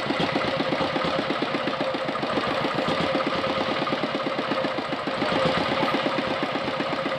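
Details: R180 single-cylinder diesel (tractor engine) idling evenly and low at about eight firing beats a second, no hunting, after adjusting the idle stop screw, since it previously would not idle or idled too high; normal idle.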